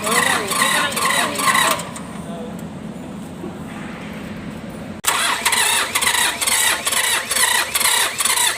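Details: Mitsubishi K3E engine in an MT18 tractor that is hard to start: the starter cranks in uneven pulses, about two a second, and never catches. Low compression from worn pistons and rings; three pistons and rings were replaced.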